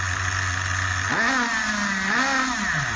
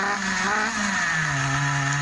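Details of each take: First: Schumacher XTR21 RC car with Pro21R nitro engine, being tuned on the bench after rebuild: high buzzing idle rises smoothly on two throttle blips and settles to steady tick-over; mixture leaned, still slightly rich, now usable tune. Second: Schumacher XTR21 RC nitro car, rebuilt Pro21R nitro engine on the bench: small engine buzzes, pitch sags and stays low instead of climbing; lazy and splattery on throttle opening, running rich, won't rev high; low speed needle or throttle stop being adjusted.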